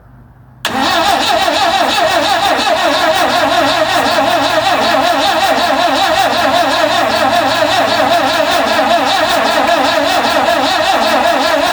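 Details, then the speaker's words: 1974 Vauxhall Magnum, unstarted for 37 years: starter churns slowly and unevenly about four beats a second, engine never catches; slow cranking, battery suspected lacking power. "I don't think it's turning over quick enough. I don't think that battery's got enough oomph in it."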